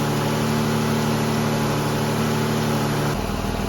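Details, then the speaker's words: Ford Escape 3.0 V6 after alternator replacement, starting up; the battery was fresh off a charger. A steady, even hum with no knocks or squeals, settling to a slightly lower idle near the end; running normally. "All right, she's been running for about half an hour now. As you've seen, I put a cool load on it. Everything's doing good."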